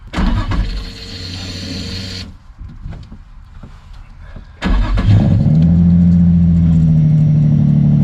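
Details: 2003 Nissan 350Z, first start in over 2 years after new ECU install and fuel pump seal replacement: brief cranking, pause, then catches quickly and settles into steady even idle with no misses; no fuel leak, missing seal was the problem.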